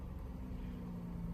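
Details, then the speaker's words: Nissan 400Z at a Copart auction yard, just started: low, steady rumble with an even drone, no ticking or misfire, settling into a clean idle after a cold start; sounds great. "I would not want this for myself. It sounds great. It sounds absolutely great."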